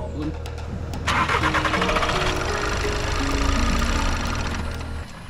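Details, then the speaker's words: VW Golf Mk7 TDI running on vegetable oil in place of diesel: starter churns steadily but the engine never fires; suspected low fuel pressure, possibly a pinched line or oil too thick; cranks but no start. "okay let's start it up there we go oh no let's try it again nope I have a suspicion that we might not be building enough pressure for it to start"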